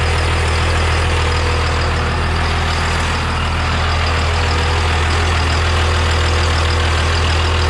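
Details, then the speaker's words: Triple-turbo 12-valve diesel race truck, first start after drilled cam gear fix and Northeast 13mm P7100 injection pump: deep, steady idle rumble with even beat, no knocks or misses; running healthy. "All right, so there it is. She fired up. I gotta add a little water to it. She sounds good. Nothing sounds bad, so I'm pretty happy."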